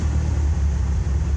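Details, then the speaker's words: 1994 Ford Ranger 4.0 L OHV, plugs look rich, MAF, plugs and TPS replaced, fuel pressure normal: starts easily then idle hunts erratically with dropouts, misfiring at all rpm and dying unless given gas; ignition cutting out suspected, cause unconfirmed. "starts easy dies but give it some gas a little bit [Music] searching for searching for a spark or something I don't know but that's the issue and do it again starts easy missing misfiring"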